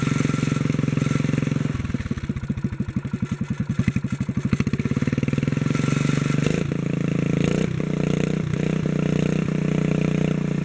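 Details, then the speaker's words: 1957 Bolens garden tractor engine, after fuel pump removal, governor work and kill switch repair: it chugs unevenly, then the governor settles it into a fast steady run with a loose metallic rattle, which the owner is pretty sure is in the muffler; exhaust rattle. "it's got a rattle to it i'm pretty sure that's in the muffler i don't see anything else that would be rattling"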